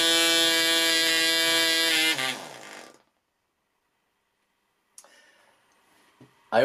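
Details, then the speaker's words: PAW .55 model engine with the needle valve screwed in too lean: high steady buzz falters into misfire and cuts out within a second; correct setting is just off the misfire. "if you went too far a misfire would occur the correct setting is just off the misfire"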